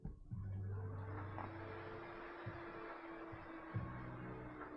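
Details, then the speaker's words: Computer powered on after moving a known-good RAM stick to the other slot, suspected bad RAM module: fans spin up into a steady low hum with no beeps or clicking; normal power-on. "that sounds more promising we might have a bad ram module here"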